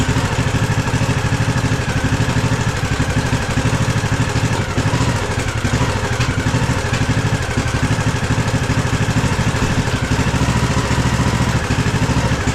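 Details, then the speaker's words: Craftsman DLT3000 lawn tractor small engine after head gasket, new carb and an old replacement coil: runs rough with lumpy, uneven firing, stumbling, surging, misfiring and backfiring; about 75% good at full throttle, awful idle; carb adjustment doesn't help. "Well, at least it runs. I've been adjusting the carb, too, and it's not really making a difference. It runs like 75% good at full throttle, and idle is just awful."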